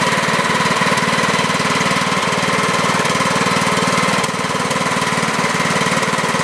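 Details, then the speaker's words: 2006 John Deere L110 hydrostatic with Kohler Command 17.5hp, started after 2 years sitting with a new battery, stale gas drained and excess oil removed. Steady even beat, about four pulses a second, no knocks; some oil burning off the muffler: normal running. "so that turned out pretty well i'm happy with that a little bit of oil burning off of the muffler"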